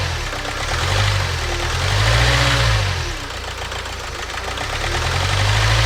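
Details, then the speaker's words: Renault Trafic diesel idling after a new fuel filter, EGR checked: uneven, lumpy idle, the beat wandering and surging every second or two; not the EGR valve, glow plugs, injector or water in the fuel suspected, unconfirmed. "just the same so it's not the EGR valve so the only other thing that it could be really is the gold plugs"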